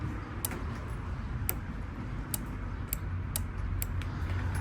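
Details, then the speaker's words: Cheap quad that sat for years: newly bought replacement starter relay plugged in, giving sharp dry clicks, about eight in five seconds, as the key is turned where the old relay gave none; relay works, battery very dead. "Plug this up here. Goes right in. Clicks in. And now you can hear it clicking before there's no click when I turn the"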